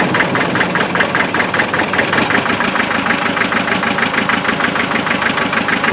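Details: Land Rover 2.5 diesel misfiring at idle: uneven lumpy beat, some beats missing or soft. Thermal imaging gave clues; fault traced by checking the four injectors' spray patterns.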